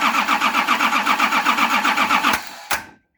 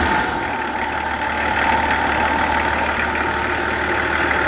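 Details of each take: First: Nissan LD28 diesel engine, injector lines loosened to bleed, with a partly repaired starter, cranks evenly at about four compressions a second but never fires; the injection pump's fuel cut-off solenoid was not energised, blocking fuel flow. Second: Nissan LD28 diesel truck engine, just started after glowing with a partly repaired starter, idles with steady, even clatter at about four beats a second, no misses or knocks; sounds like a good engine with good compression.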